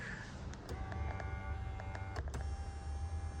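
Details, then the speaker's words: 2020 Ram 1500, right rear door, switch pressed: steady low electric motor hum that never changes pitch while the glass stays put; window motor spins but the regulator is broken, motor and regulator being replaced. "now you can hear the motor going up and down, spinning, but the window doesn't want to roll up or down."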